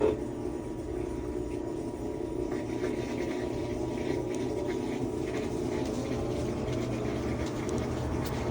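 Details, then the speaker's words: Whirlpool top-load washer after servicing, in drain and spin: spins nice and smooth with an even, steady hum and faint rising motor tones, no grinding or knocking, a normal spin. "All right, she's spinning nice and smooth."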